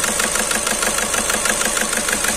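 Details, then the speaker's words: Skoda Rapid at idle, malfunction light on, engine shaking badly: lumpy stumbling idle with repeated uneven pulse as one cylinder drops out; scan shows cylinder 2 injector circuit fault. "इसमें गाड़ी बहुत जबरदस्त हद रही है cylinder तू injector circuit करते हैं ये निकालना के फर्क है"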